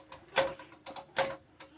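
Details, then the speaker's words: Powerglide transmission, noise heard in neutral: sharp clicks roughly every 0.8 seconds among lighter ticks; the shift detent roller has slop and is misaligned, catching. "where the roller is on here it had a little bit of a slop in it and it's like um the alignment on it it was catching"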